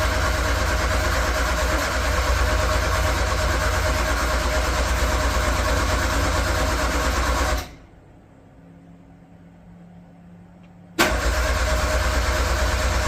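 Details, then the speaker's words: Metro GTI race car on new standalone engine management, speed density, small race battery getting weak: even starter churn about three times a second that never fires, pauses, then resumes; cranking no-start. "Our battery's getting a bit weak now, so I've only got a little race battery on there."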